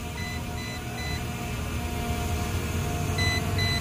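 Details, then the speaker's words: MJX B20 EIS 4K drone remote: short high beeps repeat in pairs about three a second over a steady hum, a low-battery warning, with the drone's red light on. "Oke ya, kita perhatikan di sini masih bunyi bip-bip terus, kemudian di drone juga warna merah masih menyala gitu."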